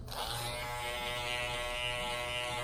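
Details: Andis cordless T-Outliner trimmer after fitting an Omni Cord ceramic blade and zero-gapping, not yet oiled. Smooth, even high buzz starts cleanly and holds steady pitch with no rattle or catching. Normal running.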